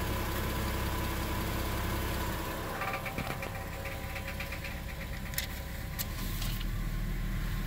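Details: 2002 Subaru Outback L.L.Bean at idle, before repair. A loose, tinny buzzing rattle sits over the exhaust note, from the exhaust heat shield vibrating against the pipe.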